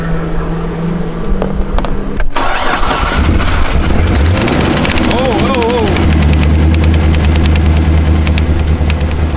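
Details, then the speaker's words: Hot Z06 Corvette after track laps, restarted: starter whir, then an uneven stumbling idle with ticking clatter, one cylinder missing; suspected burnt plug wire or loose rocker/shim, not confirmed. "it almost sounds like a burnt plug wire or like something like that one cylinder is definitely missing a little bit though not very nice"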